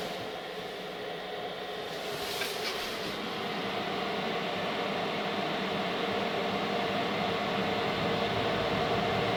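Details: Chinese 5kW diesel air heater newly installed in a Renault Trafic campervan, set to 19°C, first start after priming the new fuel line: soft steady hum from the vent as the blower gradually picks up speed just after the pump starts, no scraping or rattle; normal fan spin-up before ignition.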